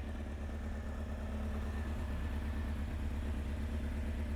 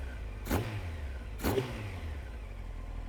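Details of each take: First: Honda CBR900 Fireblade SC33 inline-four, previously running on three cylinders; now firing on all four but idling far too fast at 2,000 rpm with a slight misfire, carburettors badly out of balance before adjustment. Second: SC33 Honda CBR900 Fireblade after fixing a dead cylinder and balancing the carbs: two quick, clean throttle blips rising sharply and dropping straight back to a steady idle, running on all four with good throttle response.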